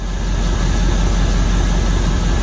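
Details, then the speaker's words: 1979 Chevrolet Suburban carbureted 350 V8 after setting initial timing near 8° BTDC, vacuum advance unhooked: deep steady idle, no misses or knocks, holding 18 in vacuum, not running rich; runs clean. "really it sounds good now watch The Fan what nothing wrong with that I'm holding 18 in of vacuum"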